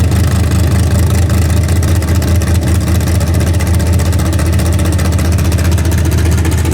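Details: Freshly rebuilt 406 V8 breaking in its cam, 5 min 15 s into a planned 15-minute run: loud but steady, even low rumble at fast idle, no knocks or ticks, healthy. Open plenum fitted; crew thinks it may need a bigger carburetor.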